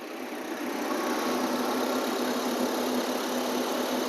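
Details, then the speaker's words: Maruti Eeco, engine idling with AC switched on after the AC compressor relay fault was fixed: steady even idle, smooth hum and light regular tick as the compressor clutch engages and the engine holds the load cleanly; cooling works. "AC on பண்ணிவிட்டு load ஆகுதான்னு பார்கலாம்."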